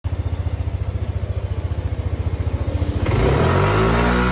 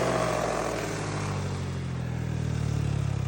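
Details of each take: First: Yamaha NMax V1 scooter with an odd noise from the automatic transmission: a steady low idle pulse, then a rough, uneven drone from the belt drive on revving. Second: Yamaha NMAX V1 after repairing a strange CVT noise with new parts fitted: even, smooth drone with steady low pulse, no rattle or scraping from the drive; transmission sounds healthy.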